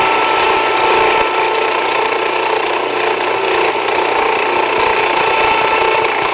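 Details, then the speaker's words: Jiffy Precision Mill, US-made electric steel burr grain grinder, with the burr setting backed off slightly because grain was not going through; steady even gritty grind, no labouring or squeal; mill warm but not hot after; normal grinding. "Yeah, I backed off just a little bit cuz it looks like not really wanting to go through."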